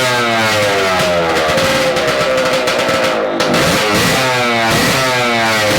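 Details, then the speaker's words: Yamaha AT-2 MX 125 two-stroke at the start of diagnosis. Blips rise and fall cleanly without bogging, so it runs normally at low revs, though it reportedly won't rev past 2000 rpm. "as you can see right now it's doing fine it's doing what it's supposed to do"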